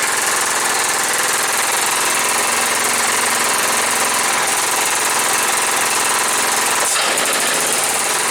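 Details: John Deere STX38, Kohler Command 13 hp engine, first start after repair, choked, gas poured in carb: runs fast and choppy, then sags around seven seconds nearly stalling; won't idle; owner suspects old gas.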